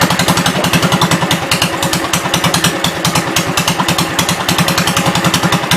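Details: 1972 Gravely 430 tractor after cylinder head refit, run in hot weather: steady even single-cylinder thump about three beats a second, no knocks or grinding, moves forward and back; sounds healthy.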